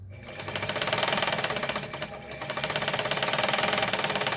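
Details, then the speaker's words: Mid-1980s Yamato sewing machine sold by Seongnam Mising, Korea, repaired, winding a bobbin: quick even mechanical clatter about four beats a second with light whir, no binding or knocking; normal running. "지금 이제 북실을 감는 모양입니다. 그렇죠? 이렇게 통과해서 북실을 감고 있고요."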